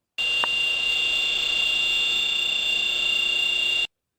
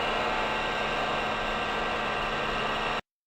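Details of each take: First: This whine, often accepted as normal, comes from the variable frequency drive controlled motor where the bearings have become fluted. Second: VFD-controlled electric motor as when new: smooth steady whirr over a low even hum, no fluting whine or grinding; bearings healthy.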